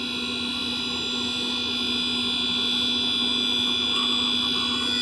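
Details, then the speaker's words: Tray-loading Blueberry iMac G3 powered on after its 333 MHz PowerPC G3 CPU was swapped for a G4 (7400) chip: even, constant whir with faint quick ticking as the hard drive reads the OS, confirming a normal boot. "and it sounds like it's accessing the hard-disk"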